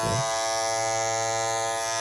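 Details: Andis Masters cordless clipper after a temporary fix for a loose part no longer pushing up on the blade, which caused extra vibration and noise; now a clean, even buzz at one steady pitch with no rattle or chatter, until the part is replaced.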